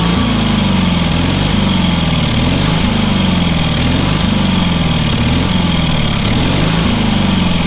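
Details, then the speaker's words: Engine on a free, long-neglected trailer-mounted man lift (cherry picker), water found in the oil and corroded intake, throttle half open; loud small engine runs on, pitch dipping and recovering about once a second as governor hunts, keeps going; runs amazingly well. "Yeah. That thing runs amazingly well for what it is."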